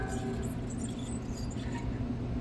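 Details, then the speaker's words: Lennox bar AC that is not cooling properly, unit off: the hand-spun condenser fan motor coasts with a dry squeak and rough scratchy rumble instead of a quiet whir, indicating worn-out bearings in the condenser fan motor. "Got a bad condenser fan motor. Okay, it's got bad bearings in it."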